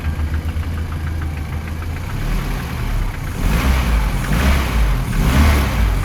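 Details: VAZ 2121 fitted with a Toyota 3S-family engine at idle: faint irregular top-end tapping around cylinders 3 and 4, near the camshafts or lower, buried as revs rise. Recorded after checking valve clearances, cam gear and camshaft bearing beds; cause undetermined.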